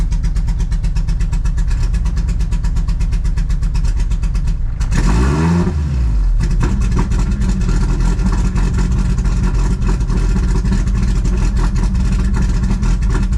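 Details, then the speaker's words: Honda Civic wagon running again on pump gas after fixes: steady, regular idle with a quick rev that drops back smoothly; engine runs cleanly with no misses. "But the car is alive again on pump gas, guys."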